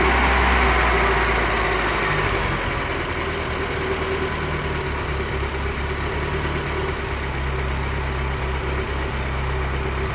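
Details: BMW 318i with M40B18 four-cylinder petrol engine idling rough with an uneven, lumpy pulse; no vacuum leaks found and idle control valve checked OK, cause still unknown.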